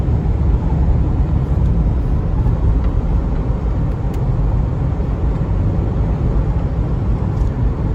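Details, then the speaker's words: 2004 Chevy Trailblazer LS EXT 4x4, 4.2L six, after replacing front wheel hubs: coasting downhill on smooth pavement, only soft even tyre rumble and wind, no hum rising with speed; front passenger hub hum is gone, hubs healthy. "i can coast i don't have any engine noise whatsoever and didn't hear a thing so that humming noise was definitely the wheel hub because now it is no longer humming"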